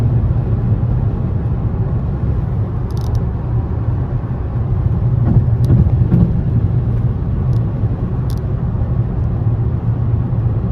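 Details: 2017 Nissan Rogue Sport/Qashqai MR20DD, driving with AC on after replacing the faulty VIN J relay (P0626, crank-no-start): a smooth, even low rumble with no knocks, misses or surges over road noise; normal running while driving.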